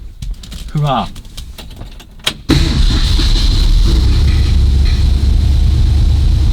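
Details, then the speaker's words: 1965 Cobra Fastback with replacement 302 V8 and automatic choke, idle screw adjusted half a turn down from about 2100: steady raised fast idle with no surging or hunting, set at just over 1500 rpm on the rev counter. "Right. That's 1500. Bang on. Just over. So that's at 1500."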